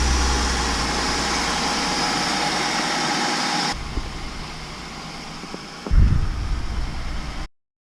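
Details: 1998 Honda Accord V6 after crank-no-start diagnosis (spark plug wires and main relay checked): engine settles into a steady, even idle with no misses or knocks, running cleanly; normal idle.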